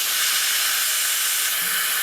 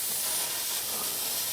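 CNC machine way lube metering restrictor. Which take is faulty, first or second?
second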